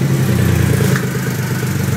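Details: 2008 Triumph Rocket 3 just after a starter relay mod, on a borrowed battery: it starts quickly and the triple settles straight into a steady, deep, even idle with no clatter, so it sounds healthy.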